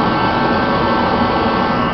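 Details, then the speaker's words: Rebuilt Mr. Heater contractor-series torpedo heater, quarter tank of fuel or less, pump pressure about 8 psi, thermostat set low: fires right up, constant even roar from burner and fan without surging or sputtering, expected to reach maximum burn temperature within 30–60 seconds. "fires right up no problems you hear it in about 30 seconds to a minute it should be at maximum burn temperature"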